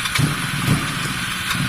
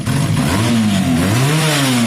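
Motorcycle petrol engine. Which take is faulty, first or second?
first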